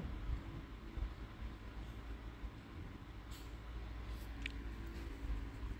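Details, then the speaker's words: 2008 Chevrolet Vivant CDX with automatic gearbox, after full engine and transmission overhaul (new bearings), test drive accelerating to about 80: low smooth engine hum over road rumble, no knocks or whine; normal running under acceleration. "mình này mình chạy test về phần máy và vườ phần hộp số nha anh em này là số tự động nha"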